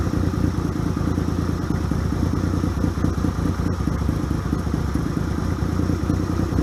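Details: 1978 Yamaha XS750 Special, first start after a 3-week revival, cold on choke: idles strong and lumpy with a deep, even exhaust beat and no misses or clatter; normal running.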